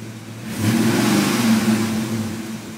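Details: Mustang 5.0 V8 with bad idle, boggy acceleration, stalling and poor throttle response; IAC, alternator, battery, vacuum lines and fuel pressure regulator checked good: revs blip up and sag back soft and uneven, hesitation, cause unknown.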